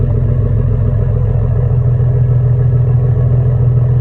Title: Exhaust leak with turn down pipes on 2002 jaguar S type ￼